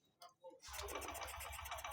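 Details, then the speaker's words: Honda Shine 125 BS6 in cold weather, fuel pressure, injector spray, timing and spark plug all good: electric starter cranks steadily with even pulses but engine never fires; cold hard-start, fix is removing air filter connection and using manual choke. "कोई response नहीं है गाड़ी start नहीं हो रही सारी चीजें clear होने के बाद"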